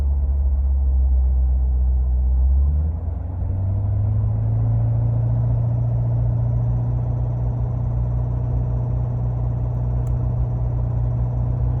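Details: 2017 C7 Corvette Grand Sport M7, recorded in the cabin with doors and windows closed: deep engine drone with a buzzy rattle, clearest around 1700-2300 RPM and below 3000 RPM, including off-throttle.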